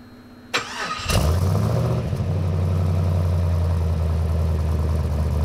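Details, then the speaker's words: Twin-turbo V8 Land Cruiser after tuning, with the boost line reconnected; catches after a short crank and settles into a steady, even idle with a firm exhaust note; running far better on much less fuel, normal. "Running far better with much less fuel. Yeah. Yeah, see, it's not obnoxiously loud, but you can definitely hear it. Yeah. No, it sounds good."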